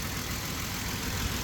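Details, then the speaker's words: 2008 Ford Explorer with random stalling and no-start: started right up, idled up then dropped to a lower idle; quiet, even low rumble with no stumbles or surging, running smooth. "It just started right up. It starts, it idles up, goes back down to a lower idle, and it runs smooth."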